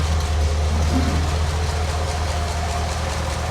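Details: Rebuilt Flathead V8, not started in a couple of weeks, stock cam and crank, standard bore honed, adjustable lifters, original radiator, 12-volt alternator: steady deep even burble at idle, no knocks or misses; running healthy.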